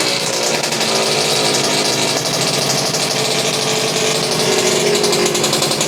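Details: Suzuki RGV 250 VJ22 two-stroke under restoration, fuel on reserve, after recent carb issues that seem resolved: bright crackly buzz running steady with a raspy edge, no stalling or surging.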